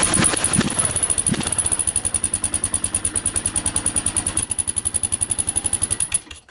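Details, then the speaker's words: Stock-exhaust Kawasaki KLR 650 single-cylinder idling, before modification: shrill, high-pitched, irritating chirp on every exhaust pulse from the muffler, common to stock KLR exhausts; mic right by the exhaust; engine then shuts off. "That's the before sound, and you can hear that kind of, it almost sounds like a sp, but it's really high pitched, and it's pretty irritating."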